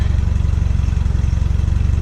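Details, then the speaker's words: 1986 Nissan 720 pickup at idle on the cat, 2-inch pipe and restrictive muffler, before a header swap: steady, even low idle with a faint tinny buzz, the old exhaust rattling. "Plus it's got a bit of a rattle, which really bugs me."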